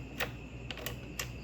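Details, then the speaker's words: Repaired hazard switch on a 2004 Toyota Corolla Altis (9th generation), pressed after DIY fix before reassembly: four crisp separate clicks, switch snapping cleanly through its detent. "Okay, now let's try to press the thing. Oh, I can hear the switch flicking."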